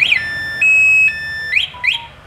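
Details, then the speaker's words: Used motorcycle, Honda Wave-type with anti-theft alarm: sharp high electronic chirps, then a held shrill tone and more chirps; the alarm is working as it should. "Có chống trộm luôn nha, chủ này rất là kỹ nha chị ha."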